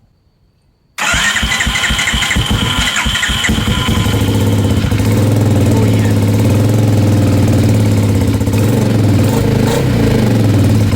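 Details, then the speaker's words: Bombardier DS650 sport quad after new starter motor and one-way starter clutch, jump pack connected: brief quick crank, fires cleanly into a steady, even single-cylinder thump with no scraping; starts much smoother than before. "Awesome. That starts up so much smoother than than it did before. Super happy with it."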